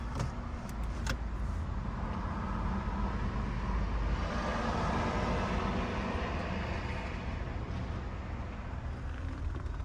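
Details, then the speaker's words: 2020 Nissan Altima with misfire and shake, code P10C3: after reseating a loose connector found by resistance check, steady even idle hum with no stumble. Much improved, normal idle after repair. "اجي نشغل لحتى شوف السياره ما شاء الله فرقت كتير"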